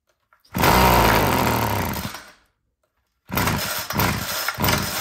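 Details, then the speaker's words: Homelite two-stroke string trimmer that wouldn't start, primed and on full choke; fires and revs hard, then sags and dies within two seconds, sputters unevenly on restart; idle screw looks correct, sounds fuel-starved, low-end mixture to be richened. "All right, so far that is encouraging. You can see right at the end, it's dying on its own."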